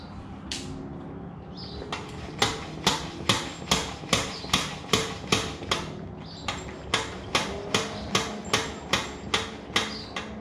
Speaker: But this is what the rattle of the front fork sounds like on the 2022 Indian Super Chief.